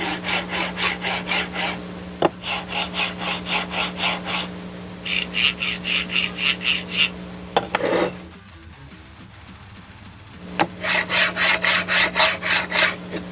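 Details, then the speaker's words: Budget linear rail, black carriage oiled and silver greased, slid back and forth, also damped on duct tape and held in air: short raspy hissy rolling strokes about four a second, quieter greased pass; oil louder but works; normal carriage rolling. "As you can hear right there, the grease is a lot quieter, which is one of the reasons I kind of wanted to make sure that worked, because I really get fed up with all the noises involved with 3D printers."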